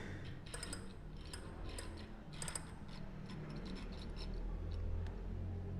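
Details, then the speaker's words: Bicycle about five months old, wheel hub spun: uneven light ticks and dry rubbing because water got in and washed out the thin factory grease; fix is deep cleaning and relubrication. "Pois é vou abrir esse Hub para verificar qual o barulho né aí a água entrou"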